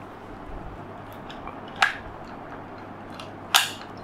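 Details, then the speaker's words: Previously dead Panasonic plasma TV (no standby light, power board suspected), after repair and reconnecting cables: two sharp clicks about 1.7 seconds apart at switch-on, the power relay pulling in, then the set lights up. "okay standing by I heard some clicking sound oh we got light we got life we got some light"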